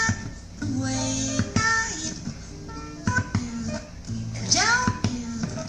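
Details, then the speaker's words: Crosley C100 turntable playing the first track of a record: static, sharp clicks and skipping, which reportedly clear up on deeper tracks; the tonearm was already adjusted to 3.5 g and the needle already replaced, so the cause is unclear. "the customer said when he's playing it the first track of the record he has a lot of static skipping clicking noise"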